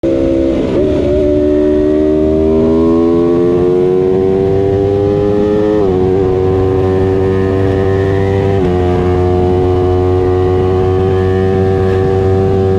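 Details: Aprilia RSV4, appearing after new spark plugs and a valve check: the engine revs up and settles with a slightly ragged, uneven beat under the exhaust note; owner suspects an intermittent misfire, not confirmed.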